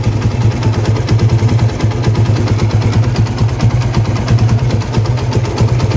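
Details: TVS Apache RTR 160 single after replacing the timing chain tensioner assembly to cure engine noise: steady, even low idle thump, about ninety a minute, with no ticking or rattle; healthy.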